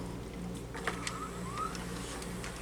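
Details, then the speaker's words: 2006 Sony DVD/VCR combo, VHS tape loading: light mechanical clicks and short rising motor whirs as the tape threads smoothly and turns, hi-fi heads picking up; normal tape threading on a unit needing only cleaning. "That's threading just fine. And turning. Looking good."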